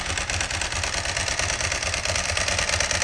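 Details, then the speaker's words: Ducati 999, started cold at around 20-something °F: lumpy V-twin idle with a dry metallic jangle on top, the normal dry-clutch rattle. "And I'll start this up and let you hear it rattle. Hear the old famous Ducati clutch rattle."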